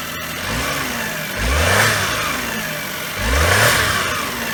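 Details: Knock from a 2001 Daihatsu Terios Kid (J131G), 98,984 km, blipped twice over steady idle; dull knock tracks revs, not from the engine itself; cause is a broken alternator mounting bolt letting the alternator knock, fixed with a revised replacement part.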